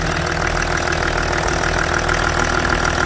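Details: Range Rover Sport L320 3.0 V6 twin-turbo diesel (306DT) after inlet manifold replacement for burst manifold, P1247/P006A restricted performance, warming up: steady even idle, light regular clatter, no leak hiss or puffing; healthy.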